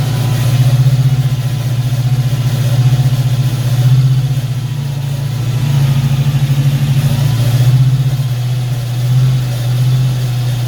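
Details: Ford Fox-body Mustang V8 after distributor swap, cylinder balance test: low steady idle sagging and recovering every couple of seconds as each cylinder is shut off; none sounds dead, all cylinders seem to be firing.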